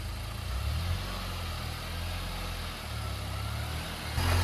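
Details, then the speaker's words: Turbo Nissan Juke Nismo RS salvage rebuild, first start after full motor-out repair: steady low idle hum with no knocks, ticks or misses, settling into an even, healthy idle. "We're gonna go ahead and try and fire this thing up. Hey, first try. She's ready to rip."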